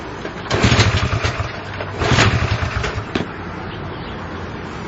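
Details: Honda CL70 single, jets already raised 73 to 75 and 38 to 40: revs in uneven bursts, then sags to a rough, wavering idle that won't settle. The idle screw is far in and the idle resets after throttle; cause suspected, not confirmed.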